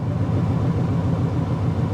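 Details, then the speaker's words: 2007 Infiniti M35 with 288,000 miles, listed mechanical damage, idling at a salvage auction: heavy, uneven raspy low rumble far louder than a sealed exhaust; loud exhaust noise, possibly an exhaust leak, unconfirmed. "Boy, that sounded really bad, guys."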